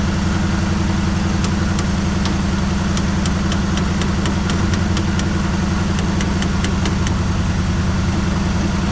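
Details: 1973 Chevrolet Malibu V8 first started after about 25 years sitting, on fresh gas: rough idle with uneven popping and stumbling as it clears up one cylinder at a time, a misfire on first start.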